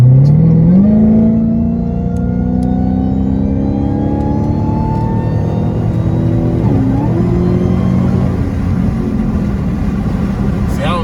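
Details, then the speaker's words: Supercharged car with only mid-mufflers cut off (resonators and cats kept), driving under acceleration: a clear whine climbs in pitch with engine speed over a very loud rumbling exhaust. This is normal supercharger whine. "Y'all can hear the whine over the exhaust, because the exhaust is mad loud, and all I got is a mid-muffler delete on it."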